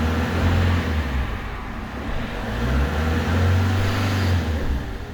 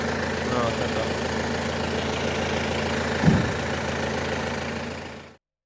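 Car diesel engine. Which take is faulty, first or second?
first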